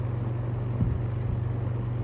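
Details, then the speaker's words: Vintage shaded-pole box fan after varnishing, running on medium speed: soft steady hum, an even low drone with no grinding or clicking, and no longer making its earlier noise. Normal running. "medium see it doesn't make that noise"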